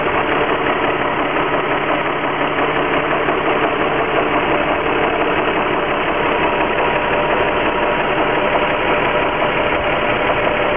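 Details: Infiniti G35x petrol V6 idling, light fairly steady knock/ping from the engine bay noticed right after an oil change.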